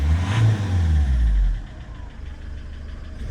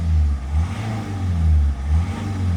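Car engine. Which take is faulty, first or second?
first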